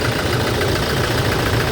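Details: 2018 Toyota Hilux diesel idling with an uneven, stumbling beat and a dull irregular knock, code P0301; cylinder 1 is dropping out and misfiring, injector 1 suspected and not confirmed.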